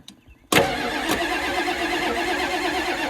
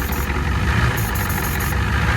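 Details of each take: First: 1989 Ford F250 7.3 IDI diesel, hard cold start the next day in neutral, first tried without ether, after fitting used injectors from a '91 parts truck and new return lines: short crank, abrupt clattery catch and stumble before settling; still needed ether. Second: 1989 Ford F250 7.3 IDI diesel idling in neutral after fitting used injectors and new return lines, started with a little ether; steady low diesel clatter, even beat, slight smoke, smoothed right out, running pretty good; normal idle.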